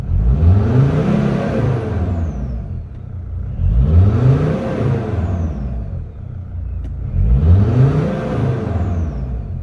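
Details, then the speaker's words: Mercedes Sprinter diesel with P299 turbo underboost code, original turbo actuator refitted and secured against vibration: three clean rev blips rising and falling smoothly, no hesitation, flutter or boost hiccup; clear improvement. "so let's see if that it's all good guys I could already tell the difference"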